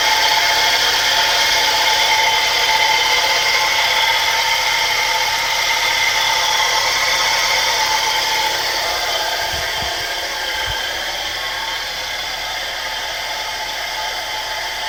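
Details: 1984 Mercedes 190E idling: a steady high whir rides over the engine without wavering, then fades slightly; whirring noise of unknown source.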